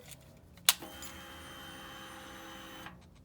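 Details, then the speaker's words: Harley-Davidson XG750 Street Rod with the kill switch on and the ignition turned on: a click, then a steady high electric whir for about two seconds that cuts off cleanly. Normal fuel pump priming. "happens that sound that you just heard is a fuel pump priming"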